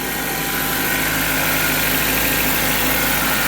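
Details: Engine started in sub-zero cold after a no-start, jumped with a 20-volt Porter Cable lithium tool battery because the jump pack was dying: steady, even idle with smooth hum, no knocks, misses or surging; running cleanly.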